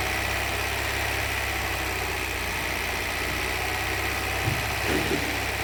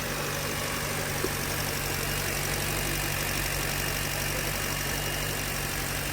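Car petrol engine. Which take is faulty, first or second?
first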